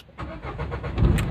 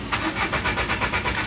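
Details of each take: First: Renault Duster 110 diesel with an intermittent no-start where engine check lights sometimes fail to show: brief crank, then it catches cleanly and settles into a steady low rumble; normal start this time. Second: Renault Duster 110, injection relay pulled, no warning lights: starter cranks evenly, about six compression beats a second, but the engine never fires; crank no-start from no fuel with the relay removed.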